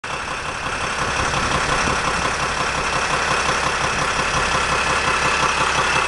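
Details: 2007 Sprinter diesel at idle: sharp regular knock about three times a second over steady idle; owner suspects the torque converter, source not confirmed.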